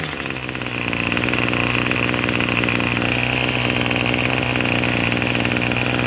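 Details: Craftsman 27cc two-stroke string trimmer, made January 2013 and obtained free, re-started after it had suddenly stalled: it picks up and settles into a steady, buzzy, even idle with no misses or surging; it sounds pretty good and runs normally, though it is smoking.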